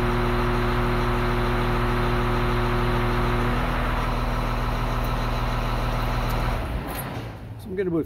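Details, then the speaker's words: Grader diesel with axial piston hydraulic pump, side shift stalled at about 33.75 maximum pressure; steady, unstrained drone at even pitch for several seconds then drops away, pump de-stroked by pressure limiting compensator, engine barely loaded. "so the engine's barely working we're at very high pressure but because the pump is fully de-stroking with the pressure limiting compensator i don't hear the engine under much load at all"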